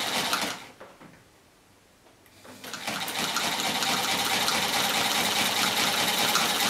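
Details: A Chaika-2 sewing machine with a metal half-gear replacing the cracked nylon one, after gear mesh and timing adjustment, runs up after a pause to a fast, even clatter of about four stitches a second with no knocking.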